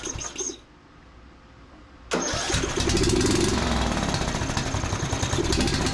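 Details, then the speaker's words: John Deere D110 riding mower, started on a jumper pack with choke working, catches and runs rough with uneven popping and misfiring. "Well, started right up. You can hear it popping and misfiring."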